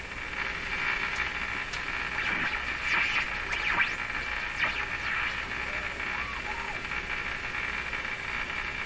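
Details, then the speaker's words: Hallicrafters S-40A shortwave receiver with suspected front-end fault: 1000 microvolts fed to a tube grid yields steady static hiss with only a faint wavering tone barely audible; weak receiver output. "so that's now 1000 microvolts on the grid [Applause] 10 times you barely hear it"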